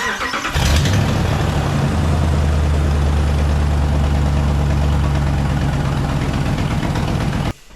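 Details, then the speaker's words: 2012 Dodge Ram 2500 with 5.7 L Hemi V8, started after idler pulley replacement: loud, rough-edged idle with a fast puffing tick from a massive exhaust leak; the former pulley squeak is gone. "go ahead and start the truck kind of loud it is loud we have a massive exhaust leak but we're not listening for"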